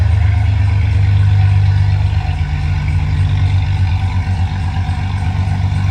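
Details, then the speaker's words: Jeep XJ 4.0 being rebuilt, started with the exhaust off behind the catalytic converter, fuel pump regulator still needed: very loud, deep, throbbing roar with a rough pulsing beat, sounding like a straight pipe 4.0. "Yeah, that sounds like a straight pipe 4.0. So, just want to let that start it up and see what it sounds like."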